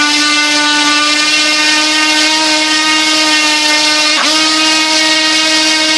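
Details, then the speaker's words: Turnigy Multistar 2209 1200KV Blade 350 QX upgrade motor with carbon fiber prop, run upside down on a scale under load at about 1.5 lb of thrust. A smooth, steady high whine with one brief dip and recovery, no rattle; normal running. "can you hear that that just sounds so smooth"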